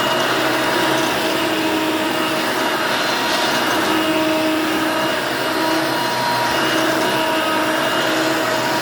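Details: Hoover Elite Mach 6.0 350 vacuum, running after a lengthy repair: a constant airy motor roar with a faint steady whine and no rattles or surging, so it runs smooth and healthy.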